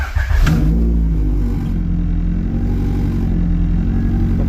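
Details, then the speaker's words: Honda Civic with old gas, running on the custom map after trying the OEM map versus the Skunk 2 chip: uneven, lumpy idle with wavering drone, still rough. Cause unconfirmed. "see how she runs. Yeah, still not the best."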